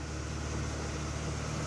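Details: Red Acura Integra idling too high, revving up with a steady elevated hum that never settles; coolant leak also present. Owner suspects a dirty or clogged idle air control valve (IACV); cause not confirmed.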